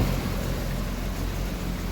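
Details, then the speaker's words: 1980 Triumph TR7 carbureted four idling in a garage after a new fuel filter was installed; low steady rumble with an even beat, no stumbling, and no longer leaking fuel; normal idle. "but it works. TR7 now has a fuel filter, and it even sounds like it's running."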